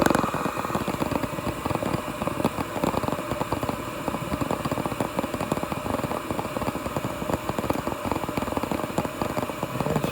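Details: Old Coleman gas furnace burner lit after blower capacitor replacement; steady, even gas-flame roar with a fine crackle, no surging or popping, so the burner fires normally.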